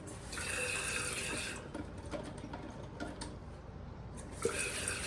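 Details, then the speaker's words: Newly replaced toilet fill valve still running after float adjustment (first turned the wrong way), water level set near the fill line: steady hiss and trickle into the tank, easing briefly then resuming, valve not yet shut off. "So I want it to dang near be about almost where that field line is at, and you hear it still running."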